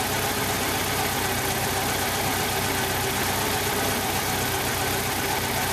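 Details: 1995 Jeep Wrangler YJ 2.5L four-cylinder idling while vacuum is read: an uneven, loping idle with a stumbling beat. Cylinder one has a blown head gasket seal and only about 70 psi compression.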